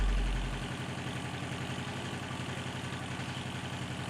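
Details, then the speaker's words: Subaru Brat idling after valve adjustment: small petrol engine with a light steady tick over the low rumble, a noisy lifter still present. "Oh, still got a noisy lifter. Yeah, I can hear that."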